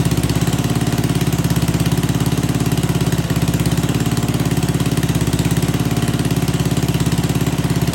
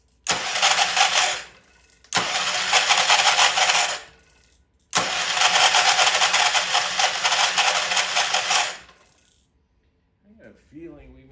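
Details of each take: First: well I'm not going to lie I did not put any fresh gas in this I don't know what it's running on but man is that gas stink in there Second: Old Troy-Bilt Pony rototiller cranked by key on a temporary battery after freeing stuck-slow valves: three harsh, rattly cranking bursts with no catch, won't fire; starter sounds terrible, owner suspects a valve spring issue.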